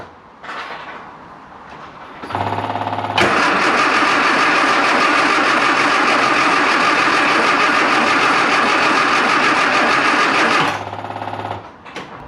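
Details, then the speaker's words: Classic Mini Clubman Estate with a carb and a water leak: it cranks evenly at about 3.5 per second for eight seconds and never fires. A fuel delivery fault from the pump to the carb float chamber is suspected. "the answer to that is a hard no it won't even fire now"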